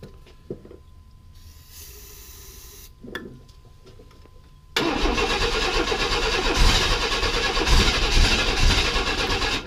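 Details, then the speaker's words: 1995 Chevy S10 Blazer, 4.3L Vortec V6, on a cold 32° morning after the rocker arms were tightened and the timing reset: cranking, a sharp pop, then a rough, loud run on too much starting fluid. It has no fuel system hooked up yet. "let's try this again I won't spray so much this time I won't over feed the dragon"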